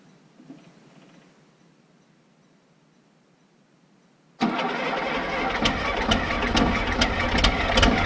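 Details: Case 1450B dozer, first start of its rebuilt diesel engine during reassembly: silence, then it catches at once and settles into a steady, even clatter with no knocks or misfires; oil pressure comes up, healthy start.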